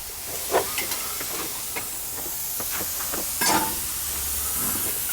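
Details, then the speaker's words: Garage air compressor pressurising during a new PEX hard-line install: sharp pops and short hissing bursts as an old air hose fails and leaks air. "here's the hose sounds like I popped one oh something so that piece of Hose is failed this is air hose"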